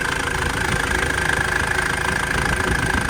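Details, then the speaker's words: Mitsubishi Delica Space Gear idling after throttle body sludge cleaning and new gaskets: even, steady idle with unchanging beat, no knocks, hiss or stumble; normal idle, owner watching for continued leaks. "And it's not blowing out anything out of the ordinary, so what a difference a little cleaning and some seals make, right?"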